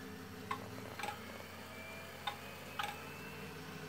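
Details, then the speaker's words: Old retro PC at power-up: steady fan hum with sharp paired clicks every second or so, failing hard drive click of death. "Festplatte scheint schon wieder im Eimer zu sein denn man hat sie gerade dieses klicklock klicklock gehört"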